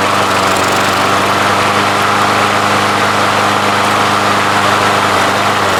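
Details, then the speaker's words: Craftsman push mower, Briggs & Stratton 6.75 Quantum auto-choke, first start after winter storage: small single runs loud with a ragged, uneven note, running rich as if on choke; blocking the carburetor primer hole to the Welch plug makes it run great, a vacuum/air leak, fixed by swapping the carb. "wanted to show you exactly what I was looking at this hole right here when I put my finger over it runs great and I let go it doesn't run rate"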